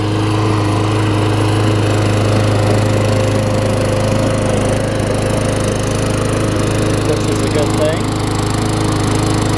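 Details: Craftsman self-propelled mower with a Tecumseh engine, running after a wet air filter was found as the starting problem: smooth, steady single-cylinder beat at constant speed with no stumbling or surging; running healthy.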